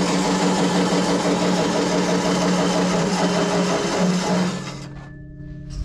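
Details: SIPMA roller grain crusher after a DIY repair welding short bead pieces onto a worn roller, which previously would not draw in corn: steady deep rumble with even rhythmic crunching, no knocks or squeals, then spin-down. Tightened rollers crush corn normally.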